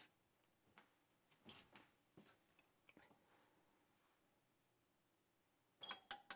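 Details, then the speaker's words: Bosch HDS-255/HDS-25 range with a no-heat fault, in test mode with bake cycle started: a few faint taps, then three crisp clicks about a fifth of a second apart as the oven relays pull in, 240 V then present at the element; normal relay operation. "and we hear the three relays go click click click again"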